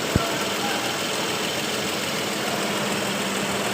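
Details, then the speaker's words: Toyota 1GR-FE 4.0L engine after overhaul, idling at the shop before the final test drive: smooth, even idle with a light quick tik-tik tick and no deep knock, considered normal because the catalytic converter was removed. "So, kung marinig yung mga idol, meron siya kunting tik-tik-tik dito mga idol. So, normal yan mga idol kasi yung catalytic tinanggal."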